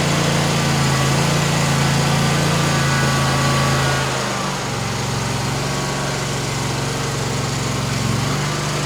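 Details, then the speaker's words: Kawasaki FX691V engine on a Gravely Pro-Turn 148 XDZ mower, after replacing a carburetor that only ran on choke and backfired, choke up on test run: a steady, even fast buzz with no misses, pops or surging; normal running. "that I tell you what that Amazon is making this sucker perr"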